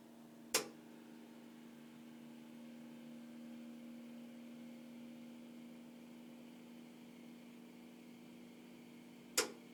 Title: My new Vaillant EcoTec Plus 824 makes a loud clicking sound.